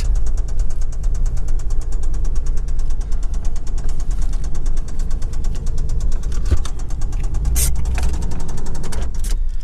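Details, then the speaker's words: Toyota engine at rough, loud idle: steady rapid knocking at engine speed; owner calls it rod knock he will fix soon. "that's so bad uh that's that rod knock that i'm gonna do here pretty quick"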